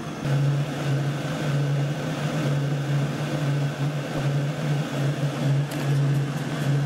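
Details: Chinese diesel heater during start-up: low uneven puffing rumble with faint thin whistle; cause unconfirmed.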